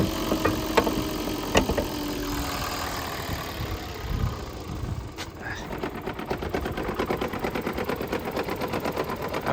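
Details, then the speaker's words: Toyota Prius with refurbished hybrid battery, engine started via hybrid motor after sitting long with suspected bad gas (just filled with premium); engine stumbles, nearly stalls, then picks up with ragged uneven beat; rough running and stalling, owner hopes to run bad gas out, else check MAF/throttle body. "gonna let this run for a while see if it clears itself up um maybe he just has to run the bad gas out"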